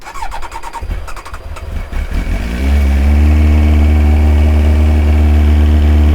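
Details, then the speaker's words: Old carbureted Kawasaki ZX-9R, cold start before oil change: starter clicks briefly and it fires at once on the button into a smooth, steady idle; owner notes a petrol smell at idle and suspects it runs rich. "starts on the button for such an old motorcycle it's crazy"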